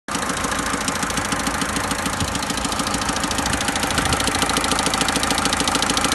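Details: Mercedes OM601 diesel at idle: sharp, steady knocking ticks in time with the engine, source unclear; engine knock.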